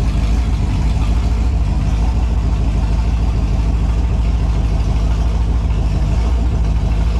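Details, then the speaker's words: Holden 253 V8 on a bench test after freshen-up (new main and big-end bearings, honed bores, new rings, Yella Terra heads, new timing chain, all gaskets and seals): deep, steady, even burble, no knocks or misses, no leaks; normal idle. "so there you have it she's uh all sounds good goes good doesn't look like it's leaking anything"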